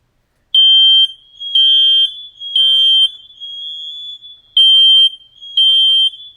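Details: Smoke alarm tested after replacing its 9-volt battery: loud, piercing high-pitched alarm in half-second bursts about once a second; a normal test tone.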